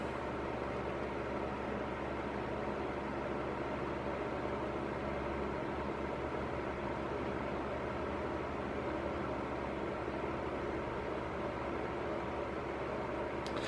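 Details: Cadence Auros 1500W fan heater on high, recorded about a palm's width away: steady even rush of air with low motor hum, no rattles or ticks. Owner says the noise grows after about 30–40 minutes of running. Normal running on high.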